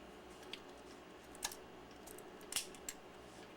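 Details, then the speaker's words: Ansco Autoset camera, lens barrel and shutter reinstalled without the detent ball, shutter cocked by hand; a few crisp, light clicks in a quiet room as the shutter fires cleanly each time, working normally. "But I crank it up. You shouldn't have to do that. And the shutter works."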